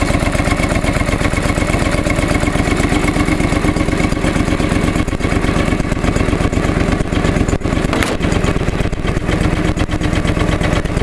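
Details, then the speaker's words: Restored John Deere 445 after replacing ethanol-eroded fuel hose on tank pump: steady even putter, no misses or knocks over eleven seconds; healthy smooth idle. "so I'm going to start it up for you guys so as you can tell it's a pretty well well running machine"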